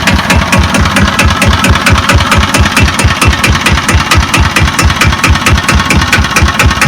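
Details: Kubota EA-300-AR diesel, said to have about 15 hours of use, at low idle: even diesel clatter, steady regular firing with no misses or stumbles; idling healthily.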